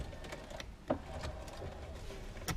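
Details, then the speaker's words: 2005 Chevrolet Suburban rear door window: a quiet motor drone broken by sharp, irregular crunches and snaps like glass crunching as the window moves. Bad window regulator. "It's a bad window regulator. This is really common when you raise these windows up and down. It sounds like, you know, glass is crunching."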